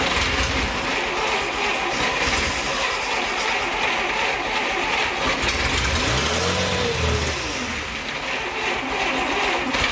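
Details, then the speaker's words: 1941 Plymouth Special Deluxe flathead barn find, rebuilt carb, no fuel supply, running only on fuel poured into the carb: ragged, sputtering run with uneven firing and no steady beat; fuel starvation. "the engines running you know well but it's brought a doesn't have a fuel supply so it runs as long as we threw fuel down a story right"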